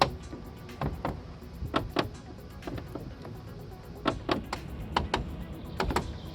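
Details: Peugeot 308 T9 door check strap (limiter): sharp crunchy clicks, a few per movement, as the door swings open and shut over a quiet background; worn door stop.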